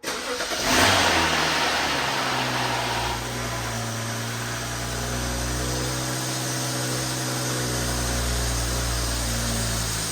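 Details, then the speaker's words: 2011 BMW 535i N55, about 163,000 miles, first start after rod bearing replacement and oil priming: quick crank, clean catch, smooth steady idle with no knocking or ticking, oil pressure good; normal start and idle. "Everything sounds wonderful."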